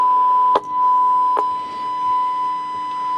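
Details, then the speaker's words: Icom IC-707 receiving AM on 7.2 MHz from a Rohde & Schwarz CMS33 test set, RF level raised; clean steady mid-pitched whistle with two brief clicks, the receiver reproducing the test tone normally. "So that's AM receive on 7.2 megahertz. So we can try other bands as well."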